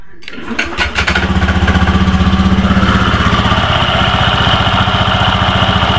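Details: Honda Beat FI v2 scooter starts and idles with an uneven rattling chatter from the CVT drive side, noisy where it previously wasn't; owner points to a worn crank bearing, replaced with a new one.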